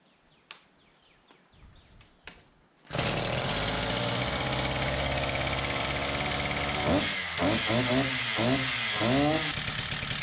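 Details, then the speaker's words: Husqvarna K760 gas concrete saw after ignition coil replacement and service: quiet clicks, fires and holds steady high buzz, crisp throttle blips rev and drop cleanly; coil was main running problem; normal running. "So it seems like the major running problem with this was the coil,"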